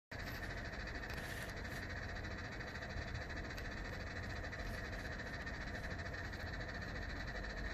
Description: 配線が絡まったのか、とりあえずうるせぇんだがw